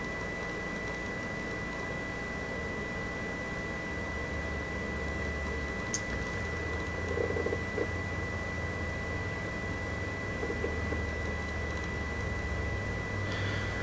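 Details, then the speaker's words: Polaroid USB Blu-ray drive playing a movie disc: a thin steady high whine at one pitch over a faint hiss, the drive's biggest noise issue besides some read noise; an optical drive whine. "So, as you can see, this is probably the whiniest drive of any sort, hard drive, optical drive that I've seen in years. So, the wine is is obviously the biggest issue here."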